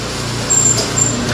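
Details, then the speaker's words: Gas convection oven: steady, even fan whoosh with low hum underneath, no rubbing or ticking; fan running normally. "it'll go on. Be sure when you turn the ovens off that you don't just open the door just because the fan is off. It does not mean that the oven is off."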